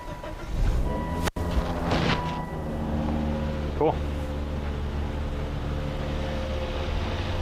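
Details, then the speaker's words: 2004 Volvo S60 after a tune-up with new spark plugs and ignition coils: steady, even low hum with no stumble or skipped beats. The bad misfire is fixed and it idles smooth and quiet. "All right, it's running really good. When the car first came in, it had a really bad misfire. But now it's running smooth as can be. Sounds good, nice and quiet."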